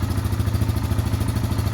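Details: 2016-2018 Yamaha Kodiak/Grizzly 700 fuel-injected ATV just after oil and filter change, warming up: steady, even low thrum with smooth quick pulse, no knocks or ticks; normal idle.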